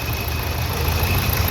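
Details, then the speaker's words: Nissan Terrano diesel after repair (injector serviced, faulty coil replaced, code P0203): idles with a steady, even low rumble, no missing or knocking as before. "Engine एकदम stable है अभी जो यहां पे देख सकते हो"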